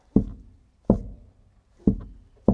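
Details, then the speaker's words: Four sharp, hollow metallic pops about a second apart as the Fiat Dino's body flexes over a bump, on one side only: stretched panel metal tin-canning in and out, not a suspension fault. "It's got some stress in here. So it's what we call tin canning, when you've got a stretched piece of metal and it pops in and out, just like on a tin can."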